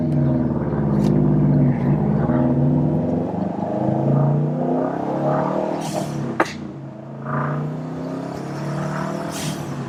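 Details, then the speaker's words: Subaru STI turbo four after the external wastegate exhaust leak repair (new EWG up-pipe and gaskets), with the blow-off valve trumpet missing: revs rise and fall with sharp hissy whooshes on lift-off; it boosts and vents normally. "Doesn't sound like a tractor. And we're making boost again. You can hear the blow off taking off."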